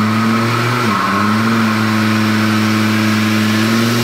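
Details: Volvo 850 turbo with 19T turbo on the dyno: steady loaded drone with a brief dip and stumble near one second, then recovery; suspected misfire under load, ran lean at the end, never shows up on the street.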